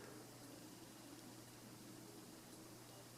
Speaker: it hums a little bit but stuff acquire than the other fan and I think I just hear it because it's like totally silent in here besides me talking